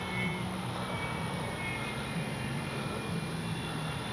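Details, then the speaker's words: FMS P-47 Thunderbolt 1500mm RC warbird, brushless 4258 KV460 motor, 80A ESC, on its maiden flight: a thin, steady high whine rides over the motor drone; prop is balanced, owner says not props or motor, suspects the ESC. "Can't figure out what that whining sound is. It's not the props, not the motor."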